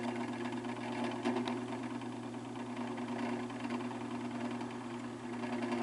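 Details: Fan motor with very bad bearings: steady hum with gritty scratchy rasp while spinning; owner suspects rotor rubs inside motor due to excess play at back of fan hub; motor not yet opened to confirm.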